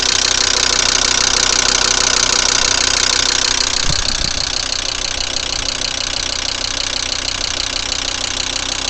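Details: VW Crafter 2.5 TDI diesel, cold start on a frosty morning: steady even knock about three beats a second over a loud cold idle; engine knock, cause unknown.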